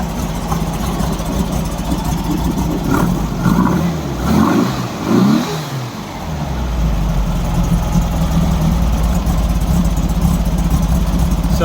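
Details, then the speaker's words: 1964 VW Beetle engine, slightly cold, after fitting a brand-new coil to chase a backfire: steady, even idle with a couple of throttle blips, all four cylinders firing cleanly, no pops or backfires; problem solved by the swap. "so much better huh little bit cold still but it's firing all four"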